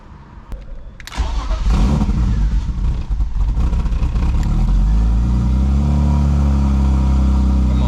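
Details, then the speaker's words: 1999 BMW E36 328i starting: cranks, catches, then stumbles with an uneven, lumpy idle that never settles. The check engine light is on and the owner thinks the rough idle caused it; cause not confirmed. "get some fuel pressure it's just struggling the idle really badly I'm going to turn it off and turn it back on hopefully the check engine will go off I think it's cuz of that idle"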